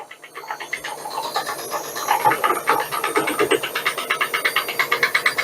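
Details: Washing machine on the fast spin cycle: rapid rattling bangs, about three per second, growing louder with spin speed; the drum counterweight is loose and knocking.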